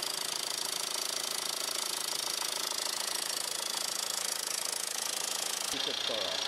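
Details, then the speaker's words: 2002 VW Jetta 1.8T idling, said to need a turbo: fast tinny rattle over steady idle; turbo quiet via screwdriver stethoscope, noise loudest at engine front; with serpentine belt off, suspected inside timing cover, timing belt overdue. "because I'm right there on the turbo and I got my screwdriver up against it against my ear and it's quiet and I heard most of the rattling coming from the front up here"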